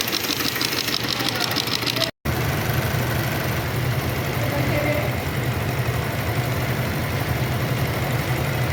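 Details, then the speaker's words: Shineray motorcycle single idling: fast metallic chatter from the clutch, caused by worn friction plate teeth with play knocking in the basket; replacing the set may be needed. "vou mostrar aqui para vocês o que ocasiona aquele barulho é o desgaste desses dentes sim ela tem uma folga aí fica batendo todo o conjunto"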